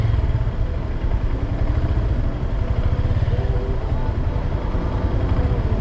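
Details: 2022 Honda Grom, under 3 months old, after 10-30 minutes riding at 90+ km/h in 4th-5th: steady low rumble and faint clatter coasting below 50 with clutch pulled; mushy downshifts; transmission noise of unclear origin.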